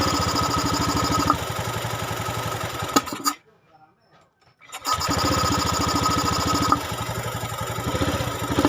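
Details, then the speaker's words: Honda Scoopy eSP injection scooter, about five years old and never serviced, with intermittent stalling while riding and no fault code; after cleaning it restarts and settles into a steady, even idle that picks up cleanly, more responsive than before. "karena udah kita hidupkan barusan dan kita mau cek dulu suaranya seperti apa lebih respon daripada yang tadi dan sekarang berbedanya ya Lur"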